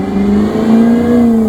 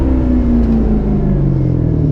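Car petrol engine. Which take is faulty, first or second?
first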